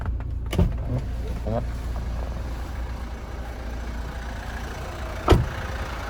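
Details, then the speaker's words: 2013 Kia Sportage Platinum diesel idling, heard under the bonnet: low, quiet, steady hum with no major knocks or belt squeal and a couple of handling thumps. Runs nice and smooth; clean engine bay; healthy. "So as we can hear it running at the moment, it is a diesel, but it is running nice and smooth. There's no major knocks, no squealing of the belts or anything."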